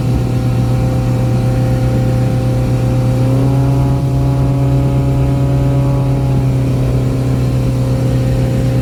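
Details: Boat outboard, back on after repairs, trimmed and run wide open on the lake near 5000 rpm and about 50–52 mph, above its 3500–4000 rpm cruise; mic behind the windshield. A deep, even drone with no misses or surging: a normal full-throttle run.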